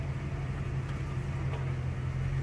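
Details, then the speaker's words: Automatic car idling, shifted out of park into reverse after the parking brake was set before park: steady low engine idle with no clunk, since the transmission isn't loaded on the incline. "Okay, so you guys hear that there's no clunk"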